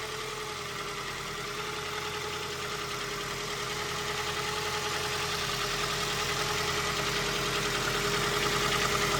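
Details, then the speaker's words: First start after an intake manifold gasket repair and oil change, warming up: steady, regular idle pulse on all four cylinders with a faint rising whine. Some smoke seen, which the owner suspects is residual oil from washing the engine. "Running on all four. Nice warm-up idle. Check out Check it out. Sounds good."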